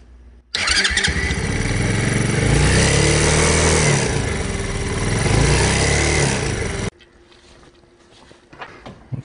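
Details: Hellcat Raptor 125cc single-cylinder bike (Grom clone) runs with a rough, buzzy rattle and bad vibration when revving that shook the footpegs; a loose, snapped engine mount bolt found after timing chain and exhaust checks.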